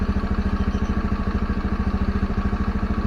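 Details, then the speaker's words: Honda Scoopy carburettor scooter that stalled when closing throttle before turns, after valve clearance adjustment and idle set to about 1500–1600 rpm: steady even fast idle, no sag; blip and close throttle, no longer dies; normal idle. "ya kita coba akselerasi kemudian tutup gasnya ya mati atau tidak dia sudah enggak mati"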